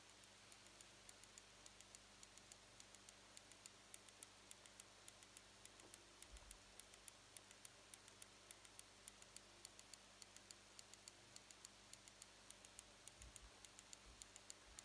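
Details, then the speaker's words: Litewinsune 28V 200W LED power supply, unloaded, output adjusted across its roughly 18–31V range: whine stops and faint sharp ticks repeat a little under twice a second in a quiet room; supply cycling in hiccup/tick mode. "so now this it aids in this clock tick mode"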